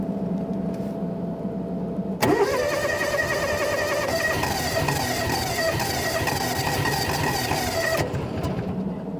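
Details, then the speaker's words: 1996 Argo Conquest after replacing the fuel shut-off fuse that had stopped it firing: starter whirrs, engine catches at once and settles into a steady, even run; normal start and idle. "As you can hear, we definitely have fire. We're back to life."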